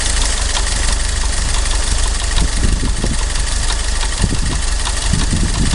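Rough idle with dull, repeating knocks riding on the low engine drone; there is an internal engine knock, cause undetermined.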